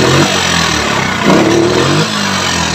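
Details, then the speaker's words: Yamaha Mio scooter fitted with a Shogun CDI, which fires about 14–15° BTDC versus the stock 5°. The engine blips and settles with a coarse, uneven note at idle and on throttle. The roughness comes from wrong ignition timing, not the engine. "bukan dari bunyi mesin tapi itu dari titik pengapian yang tidak pas makanya motor Mio jika sudah menggantinya dengan cd.iso Gun Anda harus setting untuk titik perhatiannya"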